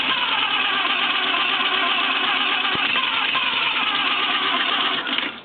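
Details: 1934 Morris 10 convertible flathead engine, 6:1 compression, with clean oil, oil pressure, spark and fuel: fast, weak, even cranking with barely any compression beat and faint coughs, fumes out the carb; compression leaking past burnt valves from unadjusted tappet clearance.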